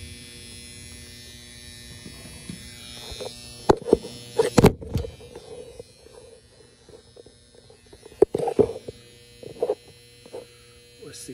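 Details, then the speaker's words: Goodman package unit with no heat or air: steady low buzz from the control transformer under handling clicks; the control fuse is blown and the common wire was never hooked up. "okay so what we hear is the transformer buzzing let's take a look"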